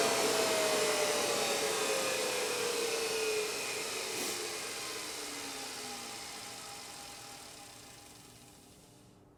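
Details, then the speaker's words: NetGain Warp9 series DC motor with a Curtis 1221C-7401 controller, no flywheel fitted: a high whine from the controller frequency slides down and fades as the motor coasts smoothly to a stop; the whine is normal for these controllers. "So there's that whine, and the whine is actually coming from the motor, and it's the frequency. Get up to a certain point, and then it just goes away."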